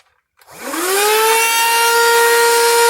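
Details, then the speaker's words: Small handheld vacuum running off the Hulkman Alpha 85's DC port: motor spins up in half a second to a high, steady whine; running very fast, and the unit handles appliances under 150 W. "It's running very fast, very high. So it runs appliances like these small vacuums and stuff like that, or any appliance under 150 watt, it will run."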